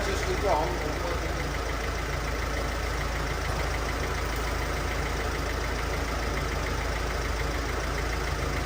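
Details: 2010 Mercedes Vito, OM646 diesel, after replacing two leaking injector seals and cleaning the carbon: steady, even idle clatter with no puffing or ticking leak from the injectors; sounds healthy.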